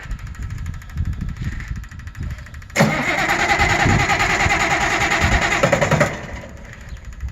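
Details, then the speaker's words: Auction-find 190 XT tractor, temporary fuel pump rigged, started on ether with a fuel leak: cranks, catches about three seconds with rough uneven beat, then dies; likely only residual ether, not running on its own fuel. "See, it almost acts like it runs on its own, but that's probably just the residual ether, huh?"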